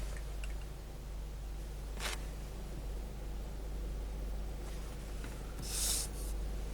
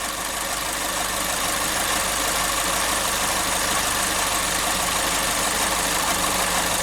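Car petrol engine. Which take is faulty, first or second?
second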